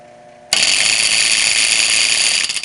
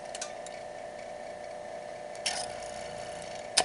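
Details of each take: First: Circulating pump on an electric boiler with two pumps, heard before the motor is changed: a sudden loud harsh metallic rattle runs steady for two seconds then dies away; failed pump coupler. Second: Electric boiler circulating pump after motor replacement with new coupler and oiled motors, previously making a loud banging noise: quiet, steady hum, faint even tone, only a few light clicks, no rattle; normal pump running.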